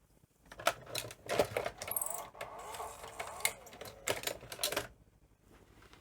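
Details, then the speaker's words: Sony ME multi-format Betamax VCR (711B3-type deck), 220 V setting, NTSC cassette inserted: motor whirring and gear chatter reversing back and forth as loading hunts and never laces; owner suspects logic fault, as if it thinks cassette is broken. "and you can see it does try and start to lace [Music] but just doesn't um you can hear like a hunt and that to me doesn't sound quite right that it's sort of doing this it's almost like it thinks there's a broken cassette"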